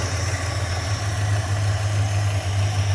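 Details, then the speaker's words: Tired 1976 Dodge Club Cab Adventurer 318 V8, low oil pressure, leaking carburetor running very rich, smoke from below; loud rough idle with a fast puffing pulse over the rumble, a terrible exhaust leak, surging as if about to die. "Boy, that exhaust leak is terrible. What is going on there?"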